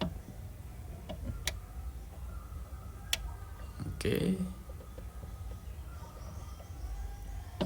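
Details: Sharp two-door fridge with neither compartment cooling, defrost timer turned anticlockwise by hand: sharp clicks a second or two apart over a low hum, then one louder snap as the timer engages defrost, which stops the compressor and fan.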